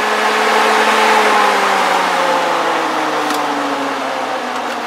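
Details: BMW 3 Series electric radiator fan after rewiring: steady airy whoosh over an even motor hum, pitch easing slightly, spinning normally with no rubbing.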